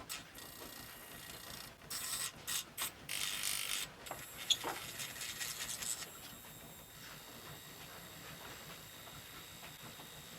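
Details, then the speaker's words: Epson ET-2710 printer/scanner flashing two red lights after scanning: scanner carriage motor keeps driving backwards, bursts of ratcheting gear clatter as it fails to find home; owner suspects end detection or extra motor current, maybe cable hitting heads. "it's trying to go backwards what H is this it's reached its end is it extra current drawn by the motor I wonder if it's something silly like that"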